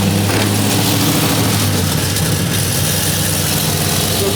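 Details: 1970 Chevelle V8, about 300 miles on the build, first start after fitting a Tank Inc notched fuel tank and GPA-9 fuel pump with 5 gallons in: loud, steady, throaty idle with no stumbles or pump whine; no leaks found.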